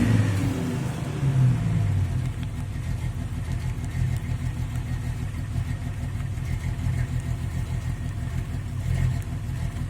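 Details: Jeep XJ Cherokee 4.0 six-cylinder: uneven stumbling sputtering misfire from water in the distributor after hosing the engine bay; towel-drying fixed it.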